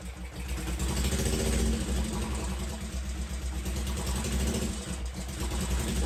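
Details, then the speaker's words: 1963 Honda CL72 Scrambler twin after carburetor swap for correct throttle slides, hard to kickstart: uneven, lumpy idle with a loose irregular beat that hunts and won't settle, smoking right away; rough running, timing suspected, exhaust collars not fully tightened. "All right. I don't know if that sounded right. Not sure."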